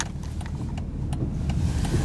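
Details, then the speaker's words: Mercedes W140 500SEL with very rough idle and no power, apparently in limp mode: rolling slowly with a low rumble and sharp knocks about twice a second from the rear; cause unclear. "Hear it banging at the back."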